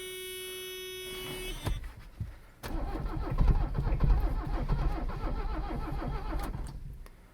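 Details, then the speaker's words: Abandoned, water-soaked Mercedes 300CD diesel after glow-plug cycles, battery reinstalled: chime, then slow rhythmic cranking around ninety turns a minute with a brief weak catch, never fires; owner smells partially burnt fuel, suspects fuel, plans cracking injectors and taking the fuel filter off. "I think it tried to do something. It's doing that thing now. Huh. Well, that does that."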